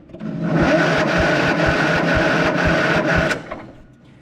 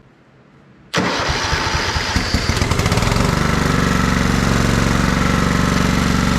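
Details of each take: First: Kohler Command 16.5 hp engine on a Craftsman riding mower, solenoid jumped: slow, labored cranking at about two compression beats a second without firing; starter turns it but very slowly, owner suspects the starter is about shot. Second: Kohler Command 16.5 hp engine in a free Craftsman riding mower, long stored: cranks, catches within a second and settles into an even idle around 200 beats a minute with no misses, burning junk off the muffler; running good.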